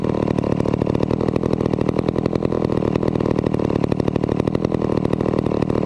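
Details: Vintage McCulloch 250 chainsaw running after a restoration: fast, even two-stroke buzz with steady firing and no misses or stumbles; runs cleanly and healthy.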